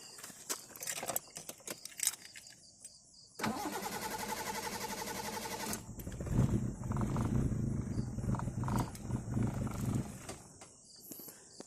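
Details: Carburetted car, hard to start: starter grinds, engine catches and runs rough, then dies shortly after; cause unconfirmed.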